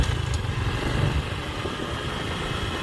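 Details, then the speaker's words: 2014 Honda Future scooter after clutch rebuild, valve lapping and cam chain tensioner work (previously weak with shaking front): steady even low engine beat while riding, no knocks or ticks; runs smoothly and healthy. "Anh em ơi rồi nha xe chạy ổn định rồi"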